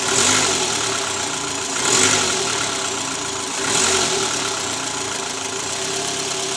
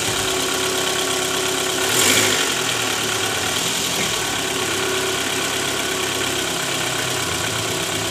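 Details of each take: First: 2012 Toyota Alphard ANH20, 2AZ engine, about 101,000 km, idling just after the worn (loose) balancer shaft was replaced. It now sounds even and smooth, with no rattle under the oil pan. Before, it ran rough with a "krrrr" at cold start, D-R and A/C on. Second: 2012 Toyota Alphard ANH20 (2AZ engine), 101,000 km, idling in D, roughness worst on cold morning start with A/C on: faint metallic jingling low near the oil pan; worn, loose balancer shaft, confirmed loose after removal.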